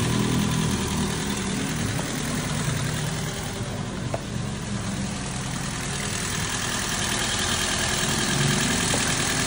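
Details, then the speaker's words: Toyota Vios after its thick oil sludge was cleaned out, first start, still warming up with the aircon off: smooth, even idle with a steady low hum and no knocking or ticking. The earlier typewriter-like ticking is gone and the oil indicator went out. Normal idle. "Ano? Tahimik na. Wala na yung typewriter. Kalmado na. Kalmado na yung andar."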